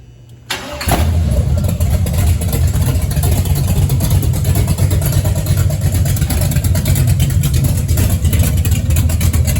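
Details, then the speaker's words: Fresh ZZ502 big-block swapped into low-mile original El Camino, open headers; brief crank catches into loud deep lumpy rumble settling to steady idle; normal start and idle. "You saw the other one, you can hear it run, but I'm just going to crank it just for a second, just to see it run."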